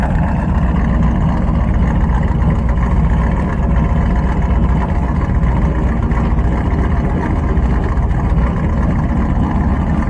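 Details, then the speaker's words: Carbureted V8 tuned for northern Alberta winter, cold start after adjustment, mic at exhaust: deep steady burble, raised idle holding smooth and even; choke fast idle working properly. "okay so we're down here by the exhaust and we want to be down by the exhaust because this is an easier place for us to hear the idle coming up and you can hear it it's coming up it's actually working properly"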